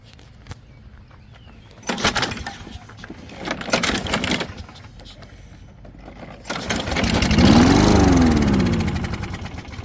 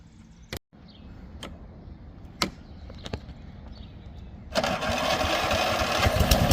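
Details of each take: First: 2004 Toro Recycler 22 electric-start push mower, unused since last year: after carb spray and pull starting, several pulls catch and it runs a few seconds with rising pitch, then dies. The battery is assumed dead. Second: Toro Recycler 22 electric-start push mower runs properly after recharging the battery, regapping the spark plug from 45 to about 30, and fitting a new primer bulb and filter; several pulls and clacks, then a steady, even run with no misses.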